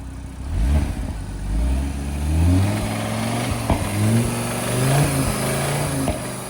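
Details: Audi RS3 being bought: after a timing issue was sorted, revving brings a few sharp clacks over the rising note; it sounds fine on tickover and fuel can be smelled. Suspected engine or bottom-end problem, compared with a Golf GTI that had a failed bottom end.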